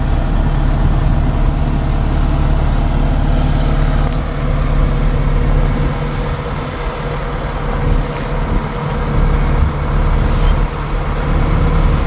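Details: John Deere 655C, just back from the shop with leaks fixed and heater repaired, during drop-off: a deep, steady diesel drone holding even speed without misses or knocks under truck and yard noise. Normal diesel running.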